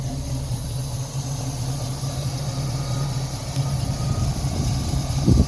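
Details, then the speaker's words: 1968 Chevrolet Camaro V8 with two separate exhaust lines idles at 600 rpm: a deep, even burble with no misses or knocks and good throttle response. The idle is normal and healthy. "Et il tourne à merveille. 600 tours minute au ralenti, impeccable. Et ça répond quand même très bien."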